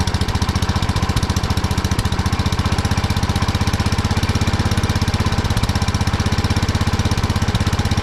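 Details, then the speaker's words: 1979 Kohler K301 12 hp single-cylinder mower engine after electrical and carburetor repair: steady, rapid popping well above a lazy idle; carburetor idle adjustment set too far. "I went a little too far on the adjustment there's a lot of idle I've been trying to adjust it the carburetor a little bit"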